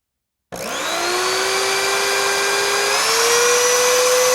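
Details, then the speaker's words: 20-year-old Oreck XL2800 vacuum motor after bearing repack and carbon brush seating, with only slight sparking at switch-on: a clean rising whine settles to a steady, even pitch with no grinding or rattle. Motor in good shape. "it's pretty sweet it's in really good shape well at least for something was 20 years old anyway"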